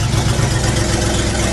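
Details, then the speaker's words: 1975 International Harvester 3/4-ton 4x4 pickup, 4-speed, 142,000 miles, cold start in cold weather: loud raspy idle with a fast steady low puffing from an exhaust leak. "When I start this up, you're not going to be able to hear me talk because of the exhaust leak."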